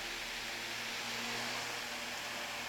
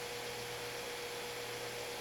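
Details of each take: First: Fan powered through an APC Smart UPS 1500 on 60 Hz sine-wave mains: smooth steady airy hiss with faint even hum, no wobble or rattle; fan runs normally. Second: Ordinary household fan run on modified sine wave output of an APC Smart UPS 1500 converted to inverter, running off battery: fan slows and its motor makes a harsh, steady buzz, converting harmonics to heat instead of rotation.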